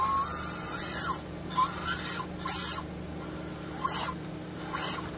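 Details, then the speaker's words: SCX24 RC crawler with Nano Beast 2.0 brushless motor and brass transfer gears: thin high whine rising and falling with motor speed during short drive bursts; gear whine, nylon gears planned to quiet it. "so let's go ahead you can kind of hear the gear whine when it's driving"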